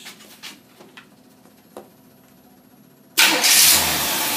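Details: Engine test-running a Carter AVS 6125 carburetor on a warm 88-degree day: quiet at first, then it catches straight away and settles into a strong, even run; a clean, prompt start.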